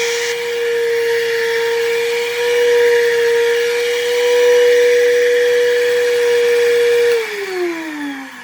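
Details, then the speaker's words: Vacuum cleaner running: steady high motor whine with a rough buzzy edge before spin-down, with a burning smell. The owner suspects worn carbon brushes; the proposed fix is replacing the brushes and polishing the commutator. "i think i'm pretty sure the carbons on this thing are screwed"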